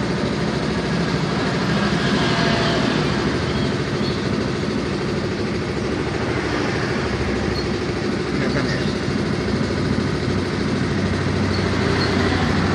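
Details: Yamaha Mio M3 scooter idling with a steady, fairly quick "klotok-klotok" clatter of knocks over the engine beat; abnormal mechanical engine knock at idle, cause suspected but not confirmed.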